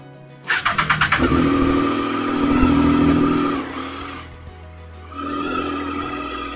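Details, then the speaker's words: Triumph Street Triple after the dealer fitted a new chain tensioner: a short crank, clean start, smooth rev and even idle; the earlier engine ticking is gone. "so the tickling salt is gone we are back in manual mode"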